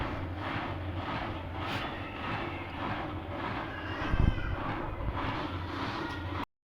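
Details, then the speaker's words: Old heavy Siemens German washing machine after spin, drum reversing clockwise and anticlockwise: low rumbling churn with slow even swish, normal tumbling. "so now it just to move clockwise and then clockwise clockwise and then clockwise"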